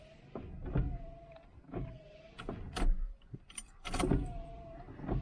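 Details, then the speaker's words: El Camino wipers, possibly rewired: motor keeps cycling about once a second, whine between sweep thumps, won't stop when switched off; only ignition off or pulling a wire stops it. Cause unconfirmed. "basically, yeah, that's what it was doing the other day. So basically, it's not, it's just on. The only way you turn it off is either turn the ignition off or pull this wire."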